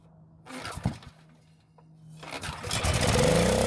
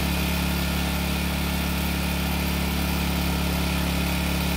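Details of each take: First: Generac generator that sat for a very long time and won't start, with dark, likely bad fuel in the tank: a few clatters, a quiet gap, then it fires on fuel squirted into the carb throat and climbs to a rough run; ignition and compression fine, fuel supply or carb at fault. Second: Long-stored Generac generator after the carb was sorted, carrying a light space-heater load: a steady, even drone with a firm low hum and no misses or surging; running healthy.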